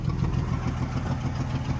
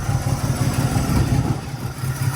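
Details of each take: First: Truck with freshly cleaned, rebuilt Carter downdraft carburetor, idling but missing under load and underpowered: low, uneven idle with raw puffing chuff over the firing from a massive exhaust hole; owner suspects lost back pressure affects performance. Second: Truck with a freshly rebuilt and reinstalled Carter downdraft carburetor, warming up with air filter off: steady, even low putter with a clean rhythm and no misses or knocks. Normal warm-up idle; oil pressure verified, gauge not working.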